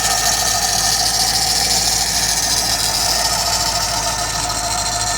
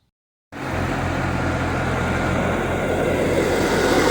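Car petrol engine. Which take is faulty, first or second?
first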